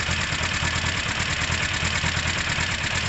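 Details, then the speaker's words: Motorcycle on its original coils, fuel back on and restarted while still warm; even settled idle with a steady low beat, no misfires or stumbles; fault thought due to a bad battery. "fuel back on fire up it's still warm let's see how it lies for a few minutes i think that's quite important"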